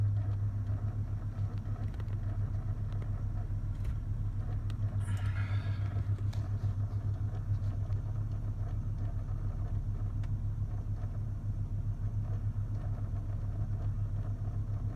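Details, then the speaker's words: 2000 Lexus GS300 with a steady low moaning, mooing drone and a faint rapid pulse from behind the dash, usually with the AC blower running high; sounds like cogs, cause not confirmed. "Usually happens with AC fan running pretty high, so. Like you hear like cogs or something."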